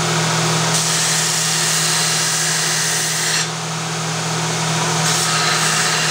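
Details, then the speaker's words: Power tool drive run at reduced speed: steady low hum with light loose rattle about three times a second from worn bevel gears meshing, not the bearings, which are quieter. "the bearings are much quieter and it's not really so much the bearings it's the beveled gear in there this thing drives one beveled gear onto another and they're just"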